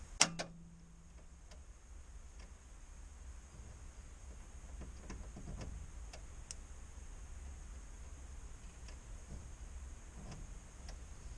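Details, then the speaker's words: 1965 Opel Rekord barn find, first start after 30 years in a barn, new fuel, oil and battery: single sharp click and brief hum, no cranking; suspected contact problem or sticking starter solenoid, unconfirmed. "Gut, das war schon mal nichts hier. Eigentlich ist es eigentlich dran hier. Irgendein Kontaktproblem haben wir hier wahrscheinlich noch."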